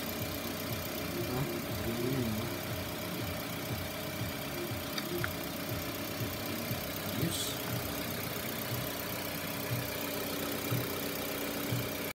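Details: 2021 Mitsubishi Xpander GLS, which had trouble starting because of a failing stock battery: quiet, even idle with a soft steady hum and no misses, knocks or hunting; the engine idles normally.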